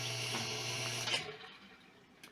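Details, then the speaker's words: Consul Maré washing machine while draining; buzzy pump hum with a rattly high edge, intermittent, stopping when the lid is opened and closed; suspected object in the drain pump or a faulty pump; drain pump noise, cause unconfirmed. "esse barulho é intermitente tem hora que faz tem hora que não faz"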